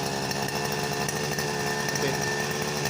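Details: Grass trimmer left unused for months that wouldn't start, after cleaning carbon off the spark plug, not yet warmed up: bright, steady high-revving two-stroke buzz holding even speed without stumbling or surging; now running properly.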